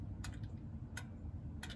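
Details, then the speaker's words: Vermeer BC1500 chipper: three crisp clicks over a low hum as the clutch engagement lever moves the sensor plunger; this faulty switch caused intermittent idle-downs like eco-idle, and the fix is replacing it. "so when you engage this clutch handle it moves this lever up you can hear the click"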